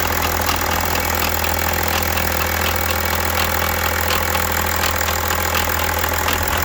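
Steady diesel idle with a light, fairly quick metallic ticking riding on top, around three to four a second; noisy top end. Cause suspected, not confirmed.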